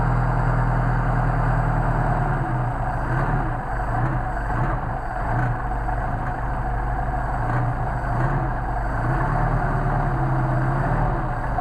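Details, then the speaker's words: Mercedes 190SL with freshly machined, rebuilt Solex carburetors, cold engine on full choke, idle set deliberately low. Low, steady, even idle with no misses or stumbles; carburetors pulling cleanly and healthy. "now I've got these set pretty low just to demonstrate how a nice guitar raters work and this is this isn't this on a cold engine so it's pretty damned impressive"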